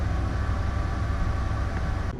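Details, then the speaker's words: 1994 Ford F150 4x4 Flareside at idle after exhaust repair: low, even, quiet rumble with no puffing or ticking; exhaust leak no longer present, normal idle. "And listen to this. Quiet. No exhaust leak on the Flareside anymore."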